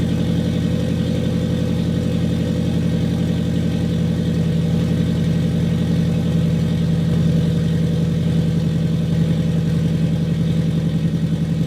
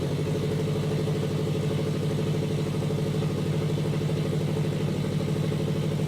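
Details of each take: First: Warm turbocharged FRS petrol engine, already running for a while, idling smoothly and evenly after a leaking exhaust pipe gasket was fixed, with no ticking or puffing; normal idle. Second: Custom turbo FRS idling with a raspy puffing chuff over the rumble from a large exhaust leak at a pipe where the gasket didn't seal.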